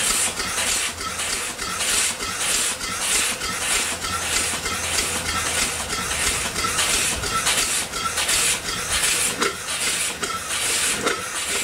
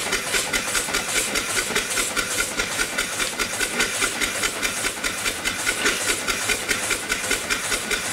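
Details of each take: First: Upright steam engine that sat for years, rebuilt and test-run at only about 30 psi boiler pressure. Steady chuffing about twice a second with a sharp pulsing hiss each stroke: steam leaking past the valve rod packing. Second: Upright steam engine after the off-time eccentric was retimed, running below 20 psi on a weak fire, with O-rings too narrow to seal. Even, rhythmic chuffs about two and a half a second, steady and regular: valve timing now right.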